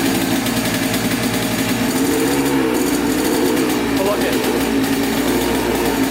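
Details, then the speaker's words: 1996 Yamaha Blaster 200 two-stroke quad, idle recorded up close before repair: rattly, wavering idle that hunts rather than settling. It bogs with no power at full throttle and smokes heavily. Owner suspects a crank seal or air leak; a large smoking air leak was then found. "i'm kind of suspecting either a crank seal or an air leak coming from somewhere so we'll have to see i'll start up for you guys here quick you can hear idle up close"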